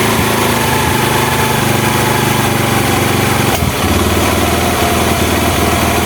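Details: Honda Mega Pro mono after fixing an air leak that caused hard starting and idle dying. The carburetor air screw is set and a steady single-cylinder putter holds an even idle with one brief dip midway.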